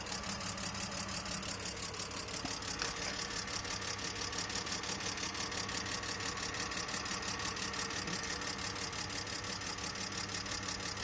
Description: Can anyone help as to why my car sounds like a tractor? Been standing for a year e46 320 2002.